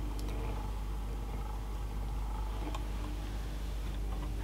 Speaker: motor is actually surprisingly quiet I Mak a little bit of noise